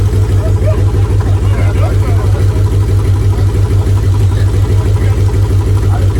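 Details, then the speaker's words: Mitsubishi 3000GT SL front-wheel-drive V6 project car, first start attempt: a lumpy, uneven idle stumbling about three times a second. It is misfiring and not running on all six cylinders; the owners suspect it needs two coil packs. "you said it was running on six cylinders we wish it was so the car is not running on all six cylinders we gotta go buy two coil packs tomorrow"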